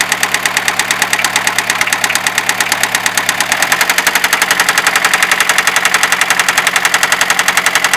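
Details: Fiat Ducato 2.5 TDI diesel idling: sharp, regular metallic knock about twice a second over the clatter, steady throughout; engine knock, cause not pinned down.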